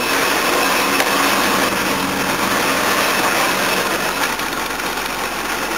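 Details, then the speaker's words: Jaguar XJ V8 running on temporary owner-rigged wiring (wiring fault, tacho suspected faulty) after a quick tune: a fast, uneven metallic chatter of 3–4 taps per second rides over the engine, suspected timing chain noise, not confirmed. "I've giv it a Quick tune and remember what it used to run like in that other car like it's a bit of chain [Music] noise there got a warn"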